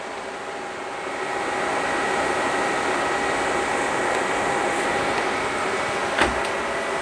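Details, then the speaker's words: 1996 JDM Honda CR-V RD1 with a K24A3, AWD: both radiator fans forced on through KPro by setting the fan threshold to 50°F (sensor reading 55°F). Steady, even whoosh with a faint constant hum and no rattles or scraping; normal fan operation. "very nice it's quite a bit of air"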